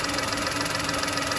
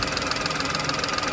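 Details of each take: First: VW Polo with check engine light and code P0068, engine idling: loud steady hiss over the idle, engine tone changes when the crankcase ventilation pipe to the intake manifold is covered; vacuum leak at the breather pipe. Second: VW Polo with code P0068 idling after its air leak was fixed: smooth, steady idle with an even pulse, no hiss; fuel trims still high.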